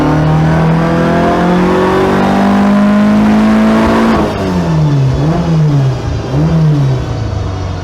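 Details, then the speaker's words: Skoda Felicia rally car, Polo GTi ARC engine on throttle bodies, straight-cut gearbox, dyno run in second gear recorded inside cabin: climbs hard then sags and surges, repeating flat spot around 6 (thousand rpm), not pulling past; cause unconfirmed. "I don't think she has more to give. I think she's giving less, if anything. It's not happy, is it? This flat spot is repeating and it's kind of not pulling past."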